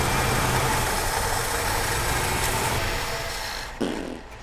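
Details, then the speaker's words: 1969 Chevy C10, first start after seven years junked, running rich on choke: rough uneven idle, note changes when brake cleaner sprayed at carburetor adapter base; suspected vacuum leak there. "gonna bet that vacuum leak is at the base of that adapter. I spray the brake clean at it and you can hear the engine change its tone."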